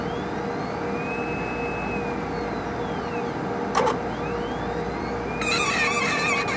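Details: HPLC sample pump: thin high squeal sweeping up and down in pitch over a faint steady hum, with a sharp click midway; pump squealing, cause unknown.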